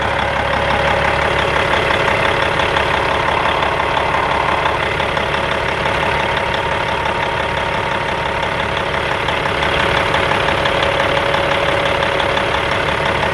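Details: 1997 Peterbilt 379 with Cat 5EK diesel at idle: constant roar with uneven knock near three per second from front gears; owner suspects a missing gear tooth (found on front oil drain plug), fan hub or water pump also considered.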